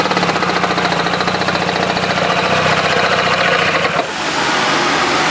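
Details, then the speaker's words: Jeep engine idling after jump start: fast, uneven whirring chatter over the idle, like something spinning that shouldn't; abnormal engine noise at idle, cause unknown. "needless to say something is not good with the Jeep and I don't know what it is"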